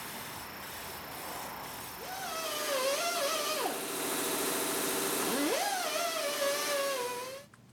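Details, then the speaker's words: 1961 Buffalo No. 15 vintage drill press before rebuild: rough hissing run with a squealing tone that swoops up and sags twice, from completely worn spindle bearings, to be replaced with new old stock. "you can hear these bearings are just completely shot so I'll replace those with a parrot found on eBay new old stock"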